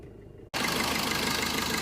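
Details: Suzuki Swift Dzire AMT diesel with RPM variation around 1500, AC not cooling, coolant temperature sensor circuit code from wire shorted to body; after harness fix and code clear: even, steady idle, no hunting or misfire; normal idle.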